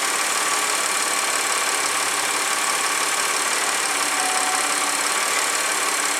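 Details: 2009 Audi A4 3.2 petrol engine, warm idle: a busy, bright ticking clatter from the valve train riding over a thin, steady run.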